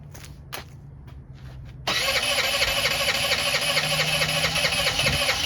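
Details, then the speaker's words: Honda Elite 80 (CH80) scooter, long-sitting, before carb cleaning: brief crank, catches into ragged idle that stumbles and won't pick up with throttle, cuts out; owner suspects an automatic choke, carb likely needs cleaning. "Yeah, I'm not sure why it's cutting out like that. Maybe this thing has some type of choke or something, and some of these have like some type of automatic choke that once it warms up, then you can kind of hit the gas, but you'd think that you would still be able to get some response out of it."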